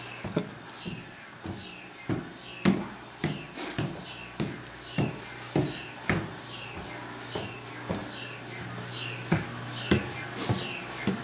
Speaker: so you can hear that squeaking noise which is the sound of our pulse tubes making these cameras cold